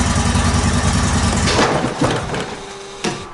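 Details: Zero-turn mower just after replacing spindle and idler pulley bearings, engine run slowly: a low, steady rumble; the deck bearings turn quietly with no grinding; it needs more rpm.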